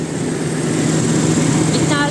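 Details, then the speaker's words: Toyota Revo gasoline engine that wouldn't start after a distributor oil seal replacement, running after distributor reinstalled and retimed: steady, even idle around 1,000 rpm with no misses or knocks; normal idle. "umandar na siya u o ano yun Ayan may power na hindi yung ano Menor na lang Menor Sakto lang pala 1,000 eh pala sir"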